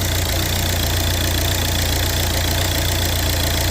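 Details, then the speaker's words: Volvo V70 after timing belt job, with new alternator belt tensioner fitted to cure a noise: steady even idle with light consistent ticking, no squeal or chatter from the belt drive; normal idle. "that's it, all good now, should be. So far so good anyway."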